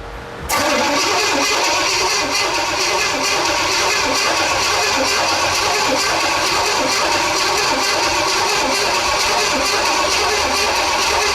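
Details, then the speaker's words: 1977 Pontiac Firebird with freshly overhauled, dry small-block Pontiac 350, barn find sat 18 years: first-start cranking on temporary oil gauge to build oil pressure before nitrous; starter spins evenly over ten seconds but never fires, cranks without starting. "we're going to crank on it until we build some oil pressure, and then we're going to give it some of the laughing gas, and uh, see if she'll pop off for us."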